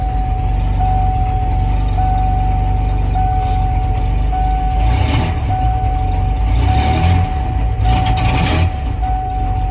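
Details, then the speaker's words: Ford F-150 on a cold start, nearly out of fuel, which falls on its face whenever driven off: a low, lumpy, chugging idle with occasional stumbles; it runs rough, cause unclear. "Yeah, she's a bit chugging. She's about out of gas."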